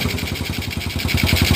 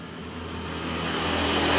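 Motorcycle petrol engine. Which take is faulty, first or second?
second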